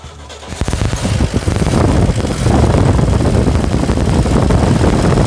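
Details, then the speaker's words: 1966 Chevrolet C10 gasoline inline six with a new battery, recorded from above the engine. It runs with a deep, hoarse, muffled rumble and even firing, with no knocks or misses; healthy engine. "formidável magnífico Sublime Soberbo inigualável esse barulho esse essa melodia desse motor 6 cilindros a gasolina esse som rouco e abafado grave essa saudável sensacional sensacional"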